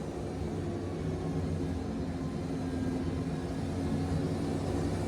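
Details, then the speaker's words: Wood-Mizer Super 70 sawmill, 55 hp engine, sawing with a 747 blade: deep labored drone that stays low as the engine bogs down heavily under the cut, nearly choked out. "This mill's 55 horsepower, and I can choke this motor out."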